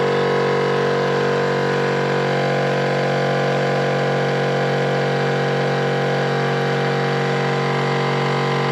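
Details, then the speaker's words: Air-bag suspension compressor on a chopped LS-powered 1940 Chevy coupe with small tank: quiet at first plug-in, then a droning hum with buzzing uneven edge; compressor noise, cause unknown. "when I first plug it in it sounds nice and quiet and then that noise goes there it goes"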